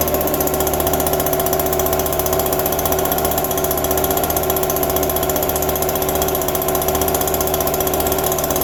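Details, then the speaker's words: Small two-stroke yard tool just cold-started in December, quickest it has ever started, on a little fresh gas despite a fuel drip of unknown cause; steady, even buzz with no misses or surging, running normally. "That is the quickest it's ever started."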